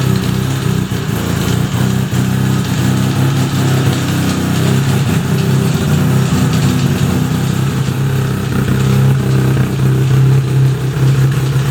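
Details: Fully restored 1975 Suzuki RE5 rotary motorcycle, engine running: steady loud rotary drone at constant speed with a rough mechanical undertone throughout; abnormal noise from the transmission, cause unclear, engine to be removed to inspect gearbox internals.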